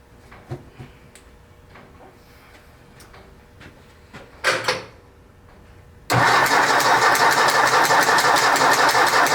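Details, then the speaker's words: 1964 Ford 4000 Rowcrop diesel tractor, first start after two-year restoration and injection bleeding, exhaust leaks present: catches and runs loud, quick fairly even beat near three per second with early popping; air in fuel lines. "Is doing that, but it did it the last time I ran it, and it eventually stopped. I guess it's an air pocket. I have no idea."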